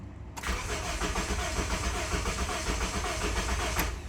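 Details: 2007 Honda Civic 1.8 L four-cylinder, crank-no-start, no fuel pressure seen from the fuel pump, RPM signal present while cranking: steady starter churn for several seconds with no firing or pickup; no fuel supply.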